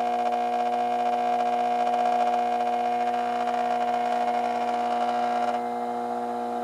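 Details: 1986 Carver PM-350 power amplifier on the bench during repair, barely warm: loud, steady mains hum with strong buzzy overtones throughout the test; very noisy transformer under load.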